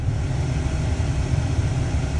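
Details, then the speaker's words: Ravon R3 (Chevrolet Nexia R3) heater blower motor on a higher speed after cleaning out dust and lubricating its two small bearings; steady, even low hum with no whistle or squeal, the earlier whistling is fixed. "Помогло, всё работает. Не пришлось покупать новый моторчик."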